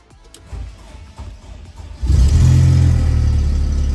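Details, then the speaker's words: VW Corrado with new fuel pump and cleaned-out fuel tank (old fuel was black): quiet two-second crank, then catches cleanly running off its own fuel and settles into a strong even run; normal start. "it fires up by itself running off its own fuel"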